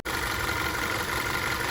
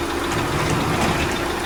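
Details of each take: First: Audi Q5 2.0 TFSI with replacement engine, after a few miles of driving: steady idle with fine injector tick and no lifter clatter; healthy, proper sound. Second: Audi Q5 2.0 TFSI replacement engine on cold start: fast steady ticking clatter over idle, three or four a second, audible outside the garage, from lifters not yet pumped up after sitting; abnormal.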